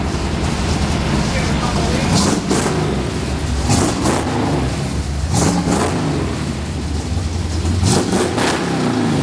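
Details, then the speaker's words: 1939 Ford 2-door hot rod, 327 V8 started with push button: deep, lumpy idle, steady low rumble, few throttle blips; runs evenly, timing good, healthy. "And she fires up. That's how she runs. That's how she starts. Like I said, 327. Everything's timed out pretty good."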